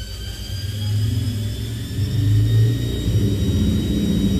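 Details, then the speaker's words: Front-loading washing machine that wouldn't turn its drum, after replacing a burnt part: steady deep whir with smooth motor whine climbing in pitch, no knocking; spinning cleanly at high speed, though the owner thinks it sounds a bit scary. "dia wuh mantap udah putaran cepat Wih tapi suaranya kok kayaknya ngeri-ngeri gimana"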